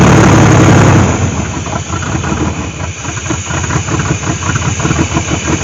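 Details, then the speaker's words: 1998 GMC Sonoma 4.3-litre V6, revived after sitting for years in swamp grass: after a loud first second it settles into a fairly even running rumble with no knocking; the engine runs fine. "I'm gonna assume the transmission works because the fluid looks good the engine runs good"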